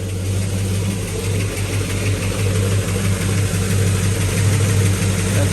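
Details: Possibly 1970 Pontiac GTO V8 with new 2.5-inch aluminized steel exhaust, started after spark plug reorientation, timing about 10–12°: deep, even burble with steady low pulse, no misses or ticks; healthy, smooth idle.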